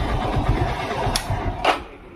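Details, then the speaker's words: Hero Splendor iSmart BS4 motorcycle with a strange self-start noise: fast, rattly whirr with a couple of sharp clacks winding down while cranking, coming from the self-starter motor; starter motor noise. "इसलिए देखा दोस्तों, selfie अजीब से अपनी तरह का इकलौता शोर कर रहे हैं हो रहा है।"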